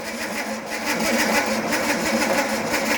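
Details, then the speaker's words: Slow, labored cranking at about four pulses a second without firing, while checking for spark after distributor work on an engine with rebuilt flat-top carbs; weak battery, possibly needing a booster, later swapped for a bigger battery. "didn't crank it very fast did it no we might need to put a booster on it"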